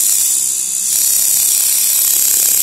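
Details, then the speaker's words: Centri Cobra machine with Switch, running with nothing loaded; high steady buzz with fine rapid clicking from the magnets, normal. Normal free-running armature clicking. "That clicking sound is the magnets when there's nothing running. Don't be afraid."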